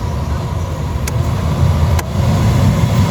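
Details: Mitsubishi Mirage G4 with a newly installed cheaper replacement A/C blower fan motor, tested on speed 4 (highest). A strong, steady airflow rush with a couple of light clicks and no rubbing; it runs normally. The installer left the screws slightly loose because fully tightening them made it rub.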